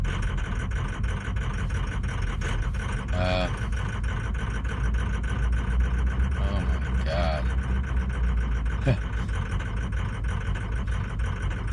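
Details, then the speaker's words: 2003 diesel truck, about 310,000 miles, cold start with P1000 code: rough, wavering idle clatter with no steady beat; suspects wiring, fuel pressure or injectors, unconfirmed. "there's just no way this is acting so bad"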